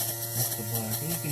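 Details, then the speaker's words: 1971 VW Super Beetle fresh-air blower motor (113 595 113) on the black-wire speed, before lubricating the shaft; steady hum with uneven rattly "jankety" buzz on top, running rough and dry. "And you can hear it kind of jankety. I'm going to put some lubrication on the shaft."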